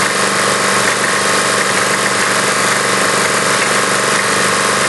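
Harsh metallic rattle over a busy single-cylinder run with an uneven beat; rattling engine that misfires now and then, cause unknown.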